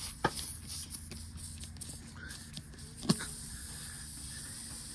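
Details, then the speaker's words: Punctured motorcycle tyre, down to 12 psi, hole opened with plug reamer tool: thin steady high hiss rises after a handling knock as air escapes. Air leak from puncture, before plugging. "got a proper hole now. You guys can hear it now."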